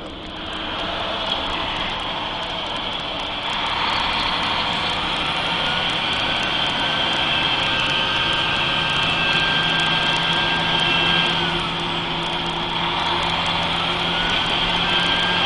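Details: Mercedes-Benz 3340 truck diesel with a failed turbocharger: loud steady high whistle over the engine, rising and falling with revs.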